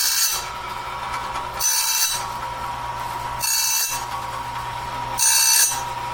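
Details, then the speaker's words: Clarke heavy-duty sawmill blade sharpener on its first run, doing the first sharpening of a 2-inch-wide, 223-inch bandsaw blade at slow speed, wheel just touching each tooth; light hissing grind bursts about every 1.7 seconds with steady motor hum between, a normal grind. "And so I'm just going to use the settings I've got here. Very first sharpening of this blade. I'm just touching the toothpaste."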